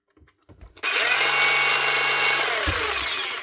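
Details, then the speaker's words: New Hikoki DH40MEY2 brushless rotary hammer in hammer mode on a low speed setting for gentle chipping: steady high motor whine over a low, even hum. Running normally. "Yeah. So, you can do some nice gentle chipping, which is actually a nice feel of a machine."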